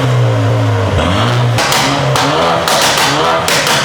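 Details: 2012 BMW 328i F30 driven after replacing the Valvetronic motor and running Vanos/Valvetronic adaptation. Revs cleanly, drops smoothly through a gear change, then pulls again with some tire chirp; no ticking or misfire. Normal, healthy running after the repair.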